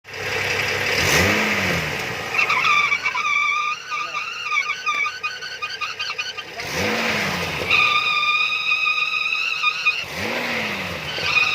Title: Bmw N55 e71 Strange Noise